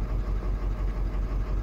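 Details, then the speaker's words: 2005 Ford Super Duty 6.0L Power Stroke diesel (P0300) at idle: low, uneven lumpy pulse as cylinder seven drops out on scan-tool cylinder balance test; IPR and pulse width checked OK, compression test next, cylinder seven injector to be replaced. "as you can see cylinder seven is dropping out here pretty bad so we have a cylinder seven misfire"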